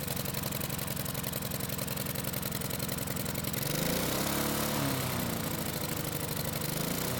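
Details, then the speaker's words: Husqvarna lawn mower engine after carb refit chugs unevenly, then speeds up once the choke flap is opened, which means the carb throttle plate was stuck wide open; the owner says it was his own fault. "as you can see the choke flap was not stuck and when I went to open it the engine speed went up that means the throttle plate was wide open"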